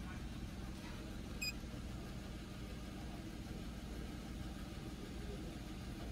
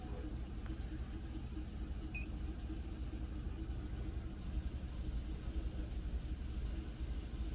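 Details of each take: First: 2011 Chevy Equinox at idle, EGR valve commanded to 5% open with a scan tool: quiet, smooth petrol idle, a low steady hum with no misses or surging and one small click early on. Nothing changed; normal idle. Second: Scan tool commanding step EGR valve open at idle: at 29% the engine stumbles and lopes like missing at about 500 rpm, worsening as opening increases until it nearly stalls; rough idle from excessive EGR flow.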